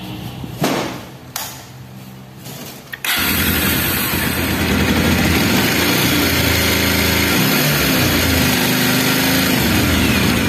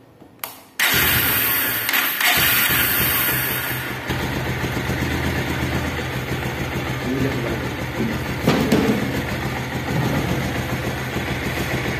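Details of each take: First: Bajaj Pulsar single-cylinder bike starts and idles with a busy metallic clatter from a slack timing chain and the scissor/balancer gear. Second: Bajaj Pulsar motorcycle after scissor/balancer gear modification for engine and timing chain noise: engine fires at once, steady even idle with no chain rattle.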